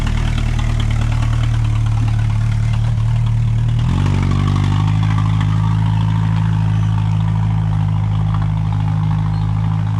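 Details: 1988 Jeep Comanche Chief four-cylinder, sitting about 10 years, first start: low, heavy idle that steps up in speed partway and carries a slight uneven beat; rough idle.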